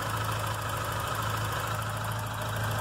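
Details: VW Golf Mk3 with idle air control actuator (stepper motor), engine cold: steady, even low idle with smooth rhythm, only slight oscillation, no misses or knocks; idling well.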